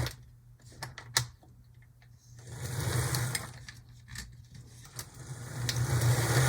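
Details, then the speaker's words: HO Athearn Blue Box B&O EMD F7A model locomotive, first run on track after sitting: steady low motor hum with light buzzing whir over loose clicks, smooth and even; running normally, like new from the box. "I think this is running about as good as it would have clean out of the box if you would have bought it from the shelves of the stor"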